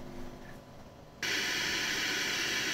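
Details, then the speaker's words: Hacker Sovereign RP18 transistor radio, FM section under repair: a signal tracer at the last 10.7 MHz IF stage output gives a steady loud hiss with no tone, pure noise before the signal generator is applied. Normal IF stage noise. "now this is purely noise and if I get rid of the scope Pro or the probe at the moment and just go to the signal tracer we can hear"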